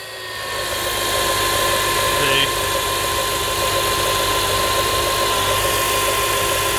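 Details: Comparison power steering pump with no problems, at idle: faint steady pump hum, no whine or groan rising above it, a healthy power steering pump.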